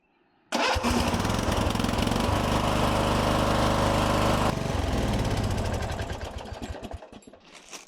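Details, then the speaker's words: 1997 Murray riding mower, single-cylinder engine, electric start test after starter repair with new starter parts, battery from December 2023: starter cranks briefly, engine catches at once and runs at an even steady beat before winding down; normal healthy start. "Seems good to go. Think we're back in business. Well, that seems to work out great."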